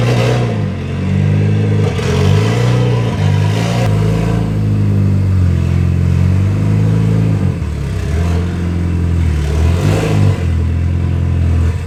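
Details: Mitsubishi Lancer EVO X with its stock turbo, cold start on a chilly morning before an ETS turbo kit install; loud, deep rumbling idle with light revs and a rough, chuffing, raspy edge from a major exhaust leak mid-car.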